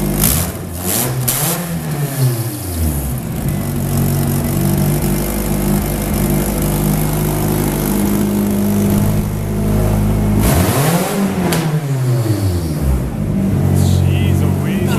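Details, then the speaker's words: Nissan 240sx S13 KA24 after catch can install: engine catches and revs hard twice with loud, raw, unmuffled exhaust bark between steady idle stretches, sounds possibly straight-piped. "that straight piped? That's loud."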